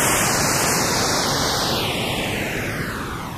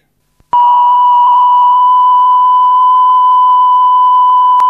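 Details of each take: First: That's Metal Type II high-bias cassette, repaired then re-recorded on the flipped side: hissy, muffled sound with wavering, sagging pitch and very low levels; tape wow and dropout, as creased tape had misaligned with the guides. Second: That's Metal Type II high-bias cassette, after repair, played back on the deck: clean, steady test tone holding level with no pitch wavering, showing no wow. Normal tape playback after repair.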